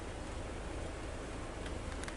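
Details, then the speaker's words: Daihatsu Taruna engine running, AC blower at speed 1 with new part temporarily wired in: steady even rush of air over low engine rumble, no surging or rattle; speed 1 previously gave no airflow; normal blower airflow. "Oke, sekarang posisi mobil udah hidup. Kita nomor 1 ya. Nomor 1. Tuh, langsung keluar angin Mas Bro."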